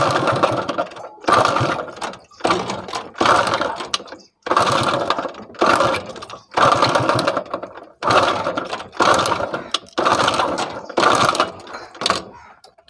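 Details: Honda CD-70 motorcycle that will not start, kicked over: repeated short bursts of harsh metallic clatter about once a second, never catching; broken connecting rod bearing, with the piston also damaged and a pin broken; engine to be opened.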